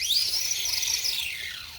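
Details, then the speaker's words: Redcat Volcano 16 mini monster truck after brushless conversion, non-adjustable mesh: shrill high squeal sagging and fading as the truck slows; poor pinion-to-spur gear mesh, performance otherwise good. "other than the unpleasant noise the performance of it's actually pretty good"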